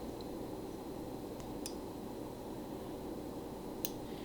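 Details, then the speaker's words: Microswitch on the PQ controller of a 1984 JLG 80F boom lift, with its lever slightly bent so it makes full contact: a few crisp, faint clicks over quiet room hiss as the lever is worked; normal microswitch click. "and it clicks just before it gets up and over but it is pushing it even more so it is making a full contact"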